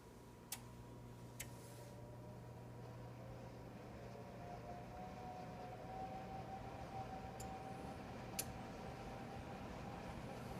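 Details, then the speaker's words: Upper oven of a double oven set to bake 350: a loud fan winds up with a low steady hum and a tone climbing in pitch, then an up-and-down whirring; the lower oven is barely audible; repairers twice found it functioning properly; cause unknown. "if you hear this noise it's not like a fan running it's a worring sound but it's it's up and down the pitch"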